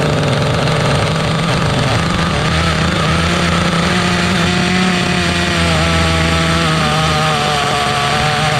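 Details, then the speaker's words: Restored 2006 OFNA Mutillator nitro RC buggy on first run after revival: high buzzy note climbing and wavering with throttle, blubbery and slow to clean up; running rich and loud, needs leaning. "Oh, running too rich, running too rich. Let's fire it up again. Just getting a proper idle trim setting, you know, tuning it a little now."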